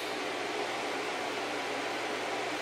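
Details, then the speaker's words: Packard Bell iMedia S3720 desktop: a small fan (about 80 mm or smaller) gives a steady, loud rushing hiss with no rattle or ticking, moving a lot of air; the owner suspects something inside has come disconnected. "So, something's not happy inside. It sound It's very loud. And I'm surprised at how much air that little fan is shifting."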